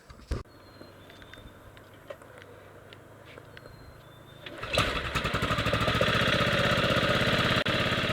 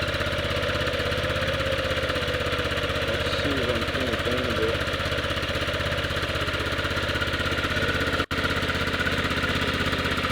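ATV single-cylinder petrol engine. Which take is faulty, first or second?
first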